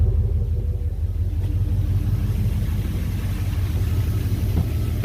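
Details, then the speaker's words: Jeep engine with new connecting rod bearings after reinstall, good oil pressure: deep, even low rumble with steady beat, no knock or rattle; owner notes slight tappet noise on both sides but says it sounds healthy; normal idle. "Yeah, both sides, a little bit of tapper noise. That sounds healthy."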